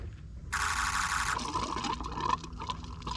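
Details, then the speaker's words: 2003 Ford F350 6.0 PowerStroke diesel with a crank-no-start, found with an empty tank; after adding diesel, key bumped to prime: a brief rushing hiss gives way to gurgling and trickling as fuel fills the bowl. Normal priming. "I'm just gonna bump the key a few times, make sure I get fuel coming up."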